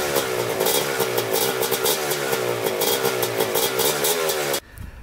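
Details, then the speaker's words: Rebuilt 1987 Kawasaki Tecate 4 250cc quad, second break-in run: crisp buzz rising and falling with throttle blips, clean pickup, no misfire or knock; later third-gear top speed rips well; normal running. "Alright, it's running pretty good. Took it for a little third gear top speed, and it rips really good."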